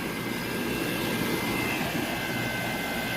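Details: Rooftop HVAC unit after resetting breaker (blank thermostat, no heating or cooling): even, steady rush of air with no rattles, squeals or surging; blower moving about 200 CFM, normal airflow.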